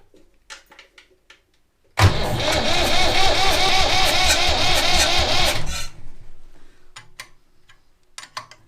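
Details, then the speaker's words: Vintage Massey Ferguson tractor being bled after priming the filters and injector pump: in neutral, the starter cranks steadily for about four seconds, with the injector pipe nuts loose to bleed air. The engine does not fire. "Let's crank it over and watch, it will come out of these round the unions."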